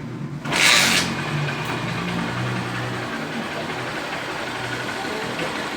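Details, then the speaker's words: Honda Fan 125 single-cylinder after an engine teardown for a noise, reassembled and adjusted with a new kickstart pedal. Soft, even idle putter with no knocks or ticks; the engine is quiet and healthy after the repair. "Olha o barulho do motor aí. Só o filé, galera, bem caladinho aí, ó."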